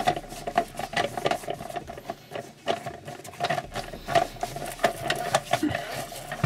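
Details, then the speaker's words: Logitech MOMO force-feedback wheel after disassembly and servicing: a soft, even motor whir with only light gear patter and no harsh rattle. Vibration is still there and it is now nearly silent compared with before. "это небо и земля чувак его вообще не слышно вы слышали что было до теперь он также вибрирует"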